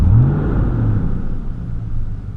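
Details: 2004 Silverado 5.3L V8 at steady idle: a heavy, constant low fan roar louder than the Flowmaster exhaust, like a dump truck; failed fan clutch, fixed by a new GM fan clutch.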